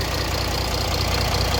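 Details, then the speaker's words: Mercedes CLS 320 CDI diesel at idle after replacing the accessory belt kit, water pump and alternator freewheel pulley: steady, even clatter with no chirp, squeal or bearing noise, no water pump leak; normal idle. "Donc là on est nickel, on n'a plus de bruit de roulement, on n'a pas de fuite au niveau de la pompe à eau."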